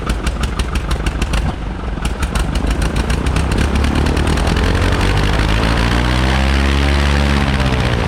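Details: High-time Commander 112 aircraft engine after a troublesome annual, primed, full rich, throttle about 1/4 open: starter cranking in quick pulses, catches around two seconds and settles into a rough, steady low idle; normal start.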